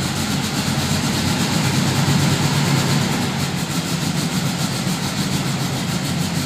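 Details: 1972 VW Fastback with a fuel-injection issue, cold, smoking black; uneven lumpy running with a ragged pulse around three a second that won't settle; rough cold idle, cause not identified, improves when warm.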